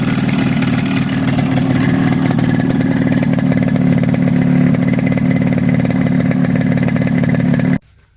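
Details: Yamaha RX 115 two-stroke before repair: fast, busy idle with raspy puffing from leaking exhaust header joint at cylinder; non-original carburetor with air screw set high raising rpm above normal.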